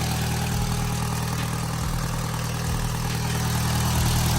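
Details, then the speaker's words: MK1 Audi TT after rocker cover gasket replacement, started about 2.5 hours after RTV sealant: steady, even, smooth idle with no misses or knocks, though an exhaust blow was noted as getting worse. "that sounds smooth enough looks good to me"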